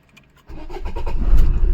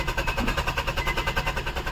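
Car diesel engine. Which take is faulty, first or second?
second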